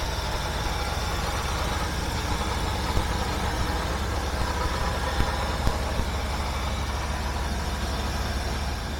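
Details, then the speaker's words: 1976 Mercury engine idling steady and smooth at low rpm with a continuous rumble and no misses, with ignition already set up; replacement gaskets still awaiting special order. "wow this sounds a lot better let actually have low RPM of course it's a lot better haha perfect"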